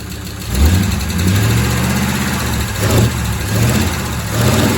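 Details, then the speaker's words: Freshly repaired engine just fitted with its exhaust, at idle: a steady, even idle with a couple of light throttle blips that settle back cleanly. It runs smooth with no misses, apart from a noisy lifter expected to clear up. "Apart from a noisy lifter, which probably clear up, that sounds incredible."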